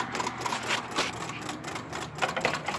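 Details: Suzuki GSX-R1000 K1 that won't start: fast, irregular dry clicking, a few per second, with no firing when the kill switch is turned off, and the voltage reading goes erratic. The fuel pump runs and the bike briefly started on starting fluid; relays previously burned out. Cause unknown.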